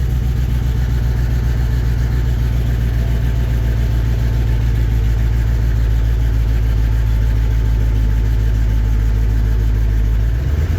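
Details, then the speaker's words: 1954 Chevy 3100 V8 after filling radiator with water and clearing code with OBD2 reader: deep steady idle rumble, even beat, no misfire skips; sounds much better than before. Normal idle. "Sounds a lot better. There we go. There you go. Yeah. That sounds really good. I like that."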